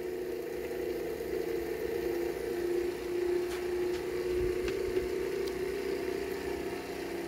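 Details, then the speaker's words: Small PPM motor with a clear SLA resin 3D-printed rotor: steady mid-pitched hum with light whir at constant pitch, no rattles or scraping; running smoothly. "so I have it at 10 volts now oh it's running so so beautifully true and I'm getting really good output"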